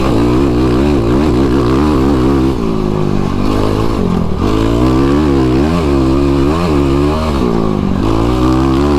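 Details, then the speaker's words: YFZ ATV on a tuned Vortex ECU (replacing the flashed ECU) over choppy ground and braking bumps, throttle bouncing: the single-cylinder revs rise and fall cleanly with no stumble or cut-out. Throttle response is smooth. "Wow, that handled it way better, man. You guys might have heard that. That was smooth all the way through all that."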